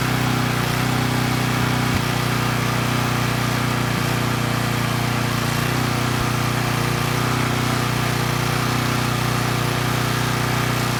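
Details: Coleman Powermate Pulse 1850 generator (engine built June 1996), repaired after running rough, carrying a space heater slightly over its 1500 W rating: steady, even hum with no hunting or stumbling, holding 114 V at about 62 Hz after governor speed reset; normal running under load.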